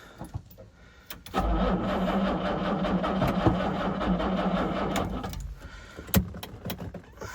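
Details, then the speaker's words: 1968 Jaguar E-type Series 1 convertible, sat about two years, original battery run flat, cranked on a second jumped battery with choke: slow uneven cranking, then a brief catch that dies away; oil pressure shows. Hard start after long storage, possibly flooded. "here we go that was a little bit of life let's try it again got oil pressure though"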